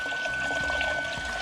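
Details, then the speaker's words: Terminator Cobra with new intercooler pump, repositioned after it ran without flowing; thin steady high whine over splashing, gurgling flow; normal pump operation. "And now as you can see, the pump is working and the water is flowing."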